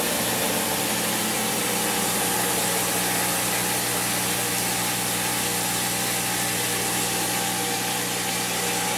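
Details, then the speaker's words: Maytag Neptune MAH5500BWW washer after motor and motor control board replacement: smooth, steady high whir of the drum spinning, no grinding or banging. Normal spin cycle. "the uh flywheel back there is turning so that's a good sign that sounds like it's really r enough"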